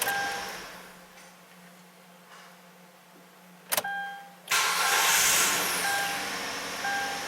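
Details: Kia Rondo 2.7 V6 bought at auction, long crank after sitting about 5 minutes; after fuel pump relay actuation test, pump hums briefly to prime, short crank catches quickly into steady idle, much improved, pointing to fuel pressure bleeding off when parked.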